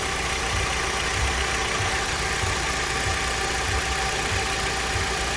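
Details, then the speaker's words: Kia Optima whose AC blows warm air, AC just switched on: steady low drone under a hissy idle with no clear knock, AC barely cold and losing pressure; compressor drone from low refrigerant and oil. "Okay, the AC is finally on. And if you listen closely, there was a droning noise, and it just went back for this thing."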